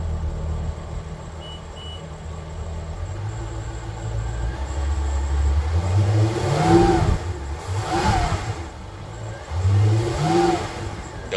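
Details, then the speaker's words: Boston Whaler 330 twin Mercury outboards, port engine revved in neutral after throttle position code cleared: pulls up cleanly through three blips and drops straight to steady idle; throttle and revving normal. "like she's sticking sounds good make sure see our RPMs here nice and [Music] smooth"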